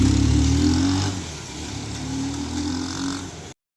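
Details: Bajaj Pulsar 220 after clutch plate replacement at 5 years and fresh engine oil: steady, even single-cylinder beat settling from a blip into a smooth regular idle, no knocks or rattles; normal running.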